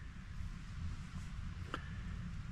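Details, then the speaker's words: 1931 Ford Model A 5-window coupe, all-original four-cylinder, idling just after fuel line was blown through and filter cleaned to cure a no-start; quiet, low, even chugging rumble like an old tractor; normal idle. "it's got the little for banger but I guess it's kind of a big for Banger it sounds like a"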